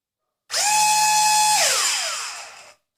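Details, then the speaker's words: JJRC Yizhan Tarantula X6 H16 drone motor, drone tilted so only the downward motor runs under throttle: clean steady whine holding even pitch, then smooth wind-down with no chirp or scrape; healthy motor, unlike the failing one that squeals. "ese funciona bien vemos que el sonido es"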